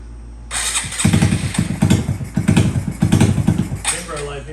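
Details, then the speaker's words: Honda Grom 125cc single, original Grom engine swapped into an SF Grom with intake tube off, first cold start: ragged, uneven firing as it catches, then a high fast idle that won't come down; typical hard cold start. "just cold start light there it goes when you don't have the big Val the F Bros just have issues cold started she always has an issue trying to get hers to cold start"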